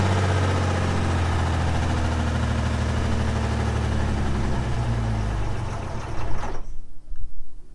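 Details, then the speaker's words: Old Ford 6-cylinder van engine, run full of sand and water and then restarted: a low rough idle with a dull knock sags and slows over five seconds before stalling; internal damage from the ingestion. "It's got a nice knock to it now. There we go. Oh yeah. It's trying to die. That sounds healthy."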